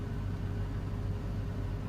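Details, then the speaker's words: 2001 Chevy Silverado 1500 Z71 4.8 V8, warmed up at about 36 degrees: steady, even low rumble with no stumble. Normal idle; rough idle occurs only on cold start, sensor code stored, owner suspects intake manifold gaskets. "I'm not sure if it's the intake gaskets and take manifold gaskets and look see right now it's back to normal"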